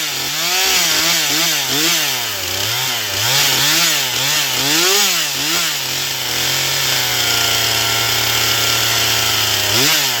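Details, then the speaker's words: Stihl MS241 C chainsaw with computer-controlled carb, after Seafoam, dull chain, cutting pine: high clean two-stroke scream bogging slightly and recovering each pass; normal full-throttle cutting, runs great on the high side, starting still the problem. "But uh at least now it will cut. And it runs seems to run. It runs great on the high side. It's just getting it running that is the problem."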